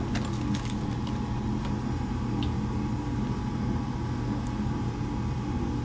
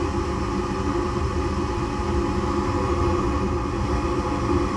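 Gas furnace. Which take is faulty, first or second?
first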